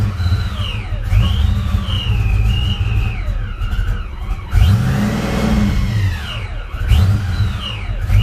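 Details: Supercharged Foxbody Mustang on first start, idle air control unplugged, popping out the intake: engine hunts and surges at a rough idle; owner wondered vacuum or IAC, and later found loose upper intake nuts, a vacuum leak.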